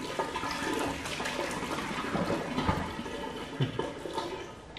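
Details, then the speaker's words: Flooded 2018 Audi RS3 engine, not running, during teardown: steady splashing pour of roughly 25–30 litres of floodwater draining from the intake tract; intake full of water. "oh no I stand corrected there's definitely water in here oh God another 25 30 l oh God that's when it's come out"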